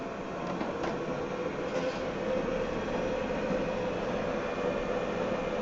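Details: NordicTrack treadmill drive motor after replacement of the old motor, being tested as speed is stepped up from 1 to about 6 mph: steady, even hum with a faint constant whine, no knocks or grinding; runs smoothly.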